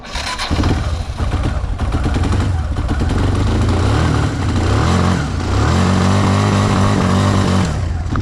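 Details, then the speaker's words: 2007 Kawasaki Bayou 250 ATV started on choke: the single cylinder catches, then surges and sags unevenly instead of holding a steady idle; poor running, owner suspects a stuck carburetor float flooding it, carburetor to be replaced. "so anyway guys it's the carburetor issue"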